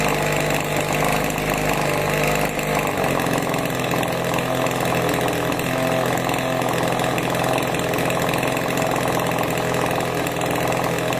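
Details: 26cc two-stroke pest-spray engine at about 45–50% remote throttle after the choke comes off: a small steady buzz, smooth and even, with no misfire or hunting; running normally.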